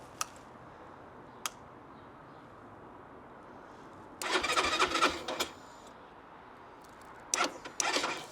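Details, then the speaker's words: Keeway RKR 125 motorcycle, 6,430 miles, push-button start: two sharp relay clicks with the fuel pump audibly running, then short starter bursts that never fire; no start, later got running after new spark plugs. "okay um yeah that doesn't want to start sounds like it wants start but this isn't looking good let's try it again come on so I can hear the fuel pump running so we're getting the fuel pump"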